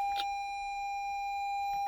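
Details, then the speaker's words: Toyota Highlander hybrid, 2,923 miles, not started for days, quarter tank of fuel, in park; "hybrid system has stopped" message. Single steady high chime, engine not turning: hybrid system warning, no start. "This car will not start."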